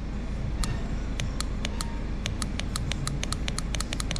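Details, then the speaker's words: Mercedes Vito, 325k miles, codes P260000 coolant pump and P246309: new coolant solenoid valve bench-powered gives crisp repeating clicks, working properly, whereas the old one did not click. "now we've got the brand new one coupled depth we put some power to it now you should be able to hear it clicking"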